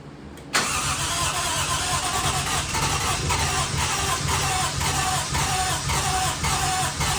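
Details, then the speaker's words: Toyota 1JZ-swapped RX7, first start after installing Radium fuel rail and fuel pressure regulator, no leaks: engine fires a couple of times, then runs unevenly with dips and stumbles and won't stay running. Cause unknown. Rough running after start. "Kind of sounds like it wants to pop off. It fires a couple times and just doesn't want to run, so I don't understand what's going on."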